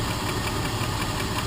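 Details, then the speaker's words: 2000 Jeep Grand Cherokee (WJ) after replacing driver-side lash adjusters: light quick even valvetrain tick at idle persists; owner suspects a rocker arm is off, though it seems too quiet for one. "that tick is still there. I might have to pull it off again. See if one of the rocker arms is off."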